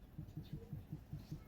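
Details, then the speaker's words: Proton Saga Iswara LMSS daily driver: soft, regular light clicking about five or six per second. Owner suspects a wheel bearing problem, otherwise possibly exhaust; cause unconfirmed. "you listen to this there like clicking noises it seems like that is my main issue I don't know if you guys can hear it but it's very very light audible and for some reason when I'm driving I can hear it very much and even feel it"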